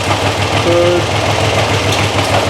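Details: Triumph Trident T160 after adding a relay so the Boyer ignition module gets a full 12 V instead of 8–10 V, which fixed a bad misfire and hard starting. Steady triple idle with light valve chatter and a slightly lumpy beat; the left carb's idle circuit is still suspect.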